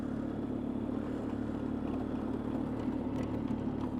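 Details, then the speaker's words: 2004 Polaris Sportsman 500 ATV running after repair: steady engine drone with loose, uneven metallic rattles near the end. The untouched back rack is rattling around on its mounts. "just rack rattling around and I didn't touch that back rack"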